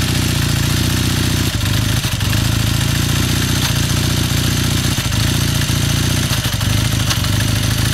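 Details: 1981 Kawasaki KZ440 twin warming up at a fast idle: steady clatter with sharp knocks about every second; engine knocking noise, cause unclear.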